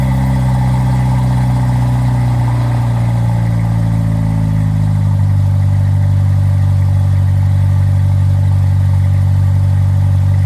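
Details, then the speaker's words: 1997 Jeep Wrangler 2.5 with new front pipe, MagnaFlow cat and Flowmaster Super 10: deep, even four-cylinder rumble settling from fast idle, then revving cleanly with no rattles or leaks; exhaust healthy. "So let's see what the exhaust sounds like. I don't know how well the quality is going to be on the camera, but hopefully decent."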